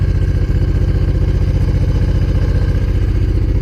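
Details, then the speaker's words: Honda VTX 1800 fuel-injected V-twin, cold, just after new spark plugs: steady, even lope at a fast idle, no knocks or misses; normal high cold idle, RPM expected to drop as it warms. "So the RPM is high, but at some point that the engine gets warm up, the RPM would drop. It should be like that."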